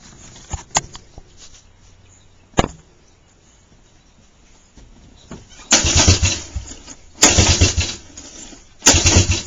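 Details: 1985 Suzuki LT125 quad runner, carburetor and boot cleaned, nearly full tank of fuel; three short bursts of starter cranking with one sharp pop, never catches. Owner later attributes the pop to a valve blowing; cause otherwise unconfirmed.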